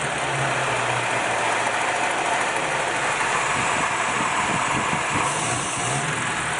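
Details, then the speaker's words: Engine, throttle pulled up and held at the angle that previously stumbled: steady, even roar with no stumble or misses; running smoothly now. "See, it looks a lot different than it did before when you pull it up that throttle angle, doesn't it? And it's not stumbling anymore."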